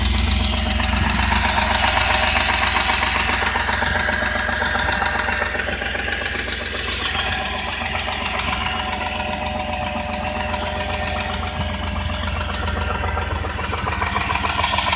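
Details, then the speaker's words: 2001 Jeep Grand Cherokee 4.7 V8 at idle, after stalling at a light and being towed, with a steady, sharp ticking knock about four per second; owner unsure if lifter, flywheel, timing chain or rod knock. "I need help to know if this is a redneck lifter or a flywheel or a timing chain now all you guys listen to this and tell me for yourself"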